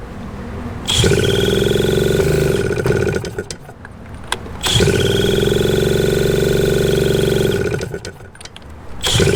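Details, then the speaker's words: 1981 Suzuki TS250 two-stroke, long parked, with a new B9ES plug, after a cold start: it catches, then howls to a high rev in surges and drops off, racing uncontrolled with no throttle, as before. Owner suspects ignition issues. "See, that's what it did before. And it caught and then it kind of ran a little bit better and a little bit better and then all of a sudden I just started going nuts."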